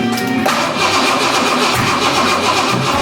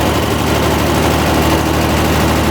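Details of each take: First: Square-body Ranger engine, first start attempt after reassembly with new heads: uneven cranking about four beats a second with rough pops and a backfire; suspected valve or distributor timing problem, possibly running backwards, unconfirmed. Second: Square-body Ford Ranger engine with new heads, after the distributor was readjusted: a steady, even low idle with a smooth firing rhythm and no knocks, said to be the nicest it has idled since 1987. Normal idle.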